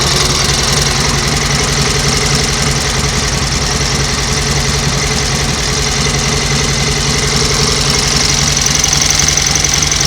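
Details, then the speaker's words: 1938 Matchless Model X 990 cc V-twin running after several years laid up, gearbox and primary drive rebuilt, oil returning to tank: steady even beat, no rattles or clatters; normal idle. "well that is running absolutely beautifully isn't it no Raffles no clatters you think it's knocking on the door 90 years old that I'm sorry but they certainly don't make them like they used to"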